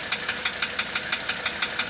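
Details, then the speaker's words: 1985 Mercedes 300D diesel at idle, running on diesel purge after a starter rebuild, valve adjustment and new glow plugs: sharp, even metallic ticks about six a second over a quiet idle. Exhaust is clean with no apparent oil burning. Knock cause unknown. "If I can figure out this knock, um, of course it' be a really nice little car again."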